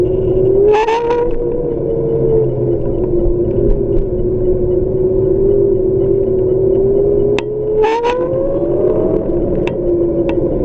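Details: Xiaomi M365 electric scooter motor making a strange, steady mid-pitched whine that rises and falls with motor speed, with a few faint rattles; something inside the motor sounds off.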